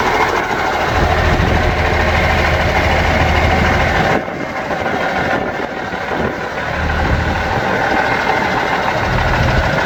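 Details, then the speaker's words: Yard-find Seddon Atkinson 311 classic truck, Cummins diesel, first fire-up before full rebuild: steady, even idle clatter with no misses or knocks; sounds sweet, holds all its fluid, normal idle. "We drove it into the garage. It sounds sweet as a nut and it does hold all its fluid."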